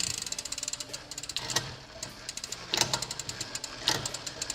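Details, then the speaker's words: Rambo Bikes R1000XP rear derailleur after adding about a quarter turn of cable tension to cure grinding and sticking; light rapid chain ticking with crisp shift clicks, shifting cleanly all the way up into gear one and back down. "as you can see it goes all the way into gear one I also check it coming back down if the shifting sticks anyway coming back down that means you have too much tension"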